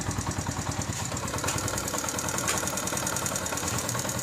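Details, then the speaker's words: Fully rebuilt motorcycle engine, idling without throttle, silencer blocked to hear engine: light ticking about three per second from tappets deliberately set loose at 0.07 mm instead of basic 0.05 mm after rebuild; normal valve tappet tick. "दोस्तों ये जो टिक टिक की आवाज़ आ रही है ये मैं हमेशा बताता होता हूँ कि ये टैपेट जिसमें मुकम्मल इंजन रिबिल्ड किया जाता है तो टैपेट एडजस्टमेंट इसकी ढीली रखी जाती है।"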